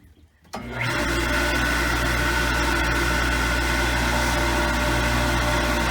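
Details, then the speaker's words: Water pump at a family lodge, reinstalled after its frozen impellers were freed, run during priming: steady hum with fast, rough churning flutter as it tries to draw water but still has too much air in it. "that sound a little different to you that's how it'll sound when it's actually trying to draw water so it's trying to draw but there's still too much air in it"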